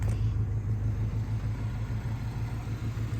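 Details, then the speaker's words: 1994 Ford Ranger XLT idling just under 600 rpm (owner wants 750–800), tackling detonation under load and on startup; deep steady rumble, no gargle; running smoothly. "run good RPMs are sitting all right I mean they're lower than what I would like them to be I'd like them to be up at like 750 maybe 800 right now we're sitting just shy of about 600 RPMs everything sounds good"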